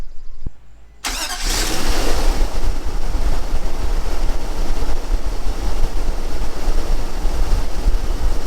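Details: Nissan Armada after replacing the starter and knock sensor subharness and refitting the intake, first start on a hot day with a newer battery: short crank, then catches at once into a smooth, even, deep idle with no knocks or misses; normal start and idle.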